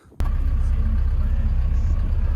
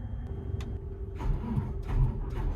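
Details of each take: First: Diesel plant machine in cold weather, after fuel filter change and bleeding (engine only run 5 minutes, oil not hot), fires instantly into a steady, even low rumble with no stumble or misfire; clean, healthy start. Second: Diesel plant machine cranked cold after preheat on spare batteries: weak, uneven groans and clicks that never spin up or fire, matching the original fault; the mechanic suspects the aftermarket starter motor.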